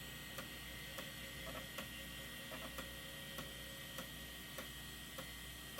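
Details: Old Maxtor IDE hard drive as secondary master, SMART could not be enabled and an error code shown; faint regular ticking about every 0.6 seconds over a steady electrical hum; abnormal noise.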